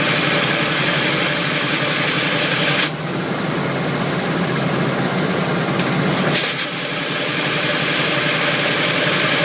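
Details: Camaro grinding harshly in any gear at low speed, gone past 20 mph and less bad on hard take-off, easing briefly then returning; flywheel or torque converter suspected, starter tight with no shims.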